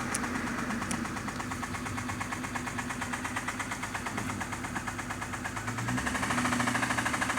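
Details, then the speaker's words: 6A13 engine with an unexplained knock; just before shutdown the idle turns uneven and lumpy, stumbling as if about to stall, which the owner says is new; he suspects the spark is cutting out, but this is unconfirmed. "Такое ощущение, что сейчас заглохнет сама. Раньше такого не было. Какие-то странные вещи стали происходить. Как будто пропадает искра."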